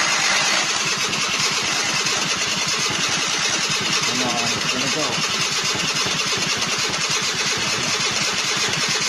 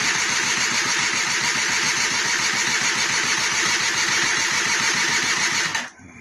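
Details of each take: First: 1999 SYM Jet 50cc two-stroke scooter, previously non-running (no spark), after exhaust refitted: fast, even buzz with fine regular pulse, steady throughout; running cleanly. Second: 1999 SYM Jet 50cc scooter with a charged battery, on electric start: weak, soft crank at about three and a half turns a second that never catches; piston rings later found jammed with no gap.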